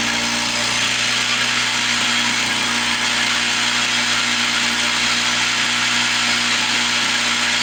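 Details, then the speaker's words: 1970 Lawn-Boy Buttercup mower with a small two-stroke: steady buzz whose revs drift up and down, hunting, suspected from old gummy fuel or a sticking carburetor needle valve. The carb is to be torn down. "you hear the RPMs going up and down up and down start that needle valve sticking a little bit or the crappy fuel getting in there bringing the RPM down"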